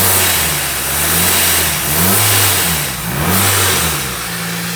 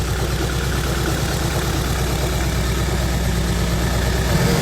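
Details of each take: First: Freshly built 500 bhp supercharged Honda Civic FN2 on an RB30 block, after tightening a loose battery earth, not yet up to temperature: crisp blips about every two seconds with no misses or knocks; normal revving. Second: Freshly built supercharged Honda Civic FN2 on an RB30 block, first start after install: a deep, lumpy idle with an uneven beat about three times a second, not yet on all four cylinders; misfire.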